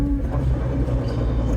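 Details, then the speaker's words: E36 drift car driving after fresh alignment with newly fitted 3.64 ratio rear differential: heavy low drone with faint hum over road noise and a clunk; the new diff runs very noisy, louder than the tyres. "Oh jeez. That's a clunk. That's the new Is that the new diff? This is the new diff. That's why it's noisy. That is so noisy."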